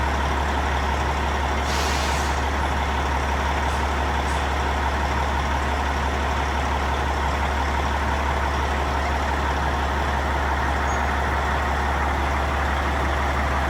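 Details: Non-running Peterbilt 379 project truck diesel, first start: steady low idle with uneven, slightly choppy beat and faint whine; owner suspects a little air in the system, unconfirmed.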